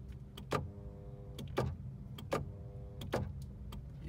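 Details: 1983 Ferrari 308 with about 38,774 miles, under rebuild: short bursts of window-motor hum, each starting and ending with a click, over a quiet background; power window operates normally.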